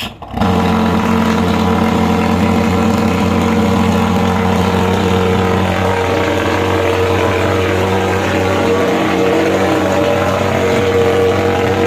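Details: Superhawk (American) pulse-jet fogging machine started by raising the lever, pressing the fuel, then pumping the starter; catches instantly into a loud steady roaring drone with constant buzzing note; normal running.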